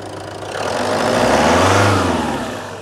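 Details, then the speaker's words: Citroen Berlingo 2.0 HDi diesel, after MAF swap, owner concerned about uneven cranking and possible compression loss: smooth rev climbing evenly and falling back cleanly, no knocks or misfires; sounds all right. "The electronic oil dipstick is running particularly badly at the moment, but yeah. Sounds all right."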